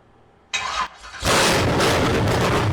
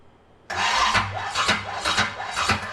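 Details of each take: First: Engine after distributor installation, once rotated back from too much advance: short crank, then fires and holds an even strong idle with no popping or backfire; timing close, to be finalised with a timing light. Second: Engine first start after distributor installation: labored, uneven cranking with heavy knocks about every half second as the starter strains; ignition timing set too far advanced, fixed by rotating the distributor.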